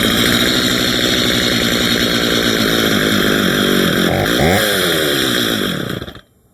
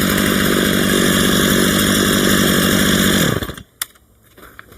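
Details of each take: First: Stihl MS230 chainsaw with aftermarket parts, previously dropped, during tune-up test cut: revs hard then sags, wavers and dies; stalling likely from briefly having no fuel in it. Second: Stihl MS 230 chainsaw during a tune-up, after the low idle speed screw was turned up: a crisp, steady two-stroke burble about four beats a second, then shut off; clean, normal idle.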